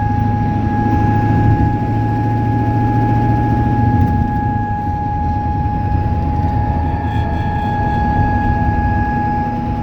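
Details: 1996 Ford 7.3 Powerstroke diesel running: a steady high chime from the dash over the diesel clatter that comes on as rpm or throttle rises; cause not yet found; dash chime with engine speed.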